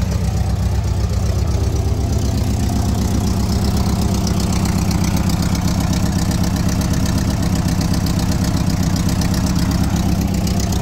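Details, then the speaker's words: Restored 1983 VW Westfalia Vanagon, engine said to be the same as the Porsche 914's; even steady idle, about four beats a second, no misses or knocks, before a light rev; runs nice and smooth. "nice and smooth I rev it up a little for you"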